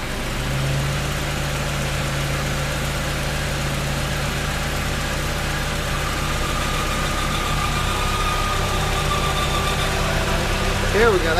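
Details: Honda Prelude H22A1 at 234k miles, idling: faint, thin high-pitched screech coming and going over the engine note; disappears with clutch pedal pressed, owner suspects transmission/clutch (clutch slips under hard acceleration); cause not confirmed.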